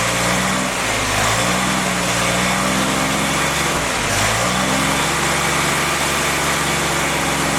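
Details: Freshly rebuilt CJ5 snowblower Jeep F-head four-cylinder during break-in, original cam, revs kept up and fluctuated to seat rings: steady even run with smooth rpm swings, no knocks or ticks; normal running.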